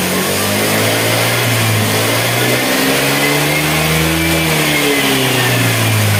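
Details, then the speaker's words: Honda Vario 110 carburetor scooter during the charging check after the battery was charged to 11.81 V: engine revs up and down smoothly, pitch following the throttle cleanly with no misses; the charging voltage keeps rising. "Untuk pengecekan bagian pengisian, naik ya, ini naik terus."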